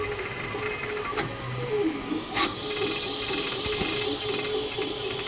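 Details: Creality K2 Plus 3D printer, about a week old, on latest firmware (2025-05-01), printing slowly: whirring motor tones, short ticks and a couple of sharp clicks; owner unsure whether it is abnormal or due to slow print speed.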